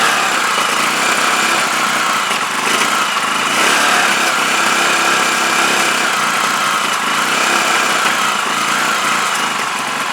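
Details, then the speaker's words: CPI SUV125 scooter just after carb clean and rebuild, choke held up; small single buzzing at fast idle with slightly uneven, wavering beat; still running rough, cause not found. "see if it sounds any better gotta hold the choke up now because it's spring i did so outside [Applause] not right definitely not right"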